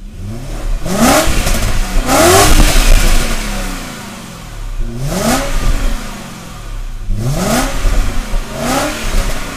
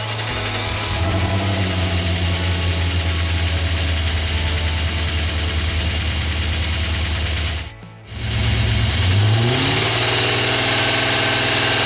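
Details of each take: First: BMW 535ia after engine swap and gearbox refill, road test with silencer refitted: engine revs up and down smoothly through the gears, clean pulls without stumble or misfire, stable idle; gearbox faultless. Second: BMW 535ia engine after reinstallation, cold start in low ambient temperature with catalysts refitted: fast light clacking over idle and revs from a hydraulic lifter not yet primed with oil; a few revs did not clear it; expected to go once warm.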